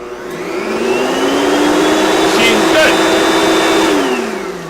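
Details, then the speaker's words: Hoover vacuum with broken handle, powered on at its blue-lit button: motor spins up with a rising whine, holds a strong steady pitch, winds down evenly; motor sounds powerful and healthy. "These machines are good. I don't know why they stopped making them. This it's it reminds me of the Oric, but the motor just seems a little bit more powerful."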